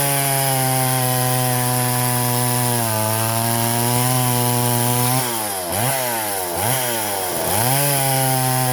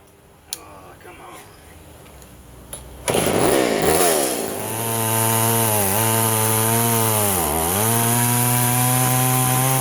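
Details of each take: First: Poulan 3400 Countervibe (Craftsman 3.4) vintage chainsaw cutting wood after lowering the too-high carburetor diaphragm metering lever; strong high two-stroke scream dips in pitch as each cut loads it, then recovers cleanly; running healthy. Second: Poulan 3400 / Craftsman 3.4 vintage chainsaw before the carb fix: fires and revs, but the revs sag and dip twice in a rich, loaded-up bog; it smokes and floods because the metering lever was set too high, and leaning the mixture did not help.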